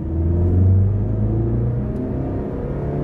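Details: Front-wheel-drive car after replacing worn inner CV joints that caused shaking under acceleration: deep engine rumble rises smoothly, with no shudder, clunk or rhythmic thump.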